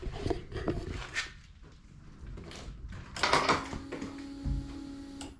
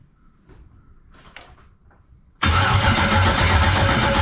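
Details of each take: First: 1999 Pontiac Firebird with swapped LS LM4 V8, first start on makeshift fuel system (factory V6 pump and return lines to truck fuel rail), no cooling system, untuned and running very rich: starter cranks briefly, engine catches and settles into strong steady low rumble; starts and runs. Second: 1999 Firebird with an LS LM4 swap, first start attempt on a makeshift fuel system with wiring unfinished: steady cranking at about four turns a second, never fires. Cranks but won't start; no fuel pressure.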